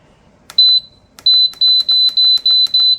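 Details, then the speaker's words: Electric canner control panel set to water bath steam with the lid locked on exhaust. A sharp high beep, then a run of quick, evenly spaced, very loud beeps; normal button acknowledgment before countdown and heat-up. "And it'll count down, and after 10 minutes, when you hear it beep again, you come in here and you hit start, and it starts the water bath time."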